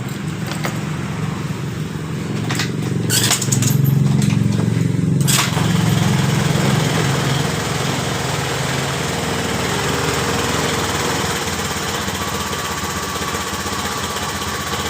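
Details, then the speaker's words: Honda Beat Pop scooter that previously sputtered and stalled on throttle, after replacing the fuel pump housing and refitting its original injector: a steady buzzing idle with no dropouts. Normal idle. "motor hidup dengan normal setelah kita mengganti di bagian rotak"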